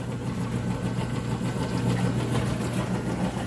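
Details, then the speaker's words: Frigidaire top-load washer that smelled of smoke and screeched on spin, run in agitation without the belt: steady low motor hum with a soft churning pulse, sounding normal; a worn belt is suspected. "it sounds great um i don't know i'm probably just going to go ahead and put a i haven't put a belt on it maybe the belt was just worn out"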